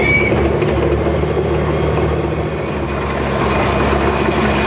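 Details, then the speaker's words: Machine pushing dirt and rock in yard grading: loud steady track rumble and clatter with a faint thin squeal on top; undercarriage squeak, owner thinks it's worse than the 850B. "Listen to this thing squeak. It's bad. I think it's worse than the 850B."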